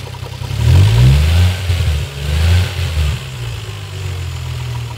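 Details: Toyota 1JZ-GTE VVT-i engine with low rumble and uneven rapping about four per second that swells with small revs; knock from inside the engine.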